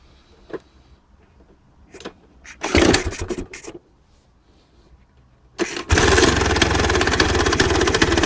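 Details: 1966 Vespa Sprint after engine rebuild, Pinasco racing crank, Pinasco 177cc aluminum cylinder, CDI ignition, 12V: a few kicks, then two-stroke fires and settles into crisp even buzz, no misses; normal start.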